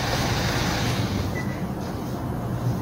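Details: Tanaka ECS-4000 chainsaw after carburetor repair (cleaned, new diaphragm; previously would not start despite new fuel filter): loud, even two-stroke buzz holding steady without stumbling or dying; running cleanly and healthily.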